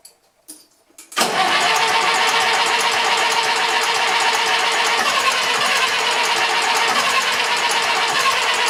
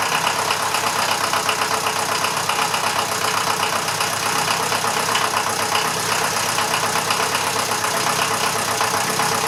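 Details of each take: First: Massey Ferguson 35 tractor with Standard 23C diesel, not started in at least a year, starting pump not fitted, started on starting fluid: a second of cranking, then an uneven clattering idle of about four beats a second; hard cold start. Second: Standard 23C diesel in a Massey Ferguson 35/835 tractor, first run in at least a year: even diesel clatter at a steady idle of about four beats a second, no misses or surging; running normally.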